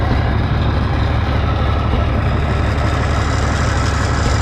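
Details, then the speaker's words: Low-hour 1965 Minneapolis Moline G707 diesel parked 13 years, just restarted with some air still in lines: steady quiet low rumble at idle, occasional miss, 15 psi oil pressure; essentially normal idle. "Missing occasionally here, but nothing too scary. Motor sounds real quiet."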